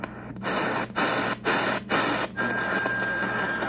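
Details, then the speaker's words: Choyong LC90 receiver on shortwave: a steady high whistle over the hiss with brief dropouts, an internal birdie generated by the radio's own circuit; many such birdies appear across the band. "that tone you're hearing is actually an internal birdie from the radio circuit going into shortwave and if you tune around you notice that there's a lot of these birdies"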